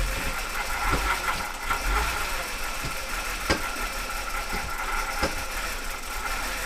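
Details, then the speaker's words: BMW E60 (Copart car) on replacement eBay ECU, no coolant, no leaks, cam sensor bank 1 code: low uneven idle with scattered irregular ticks and surges; owner suspects garbage fuel. "But it was starting to idle. I think it's just a fuel, just total freaking garbage."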